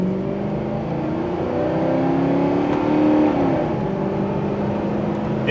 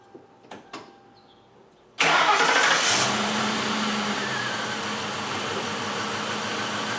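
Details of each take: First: 2000 Ford Crown Victoria at full throttle on a road test after repair, check engine light still on: engine pulls up smoothly with a rising tone and no stumbles, misfire gone. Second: 2000 Ford Crown Victoria after fitting new spark plugs and reinstalling the coils: cranks, catches and settles into a lumpy, stumbling idle of about four beats a second. Two front cylinders on one bank are misfiring; coil packs are bought next.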